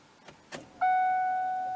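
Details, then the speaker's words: Ford Mustang that sputtered when nearly out of fuel, key turned on to prime, recorded under the gas tank: soft clicks then an abrupt high electric whine fading over a second; owner feels the pump prime sounds abnormal, cause unknown. "it just it does not sound right to me"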